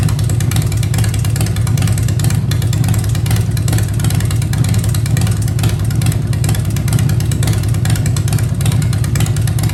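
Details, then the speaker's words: Freshly built 2015 Harley-Davidson Breakout, Fuel Moto 110 kit (10.5:1 pistons, Level B heads, Woods 777 cams, HPI 55mm throttle body, PowerVision tune): even, steady V-twin idle and revs, no misses; running perfectly. "So again, here's my first run, first startup, even though I've done several heat cycles now. It's running perfectly, so thanks for watching."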